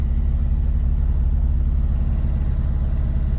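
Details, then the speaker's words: 2G Mitsubishi DSM (Eclipse/Talon, 4G63 community) that won't start properly after being cleaned, fuel pump primed 10 seconds: uneven, loping idle that stumbles irregularly, said to run on only a couple cylinders, Subaru-like; misfire, cause unknown. "But the guy says that it's only running on like a couple cylinders or some shit. It sounds like a Subaru."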